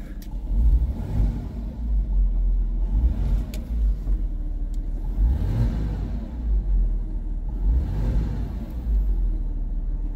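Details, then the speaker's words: A Porsche idling after injector cleaner was added to the fuel: four clean rev blips about every two and a half seconds, rising and settling smoothly with no misfire or knock. The engine sounds healthy. "So anywho, Porsche is running because it just doesn't get enough love and exercise lately. I've got it idling."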